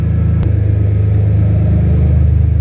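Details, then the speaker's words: BMW S54 engine swap at first start, straight header pipe, checking owner-done throttle wiring: deep, even firing rises smoothly with throttle blips, picking up cleanly without misses or knocks; throttle works, normal throttle response. "And just checking my wiring that I did on the throttle. Oh yeah, it works."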